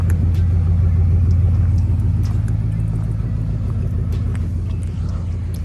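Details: V8 with straight pipes and Magnaflow exhaust after misfire fixed by replacing faulty ignition coils and spark plugs: deep, steady rumble with an even beat, no stumbles or dropped pulses; all cylinders firing cleanly.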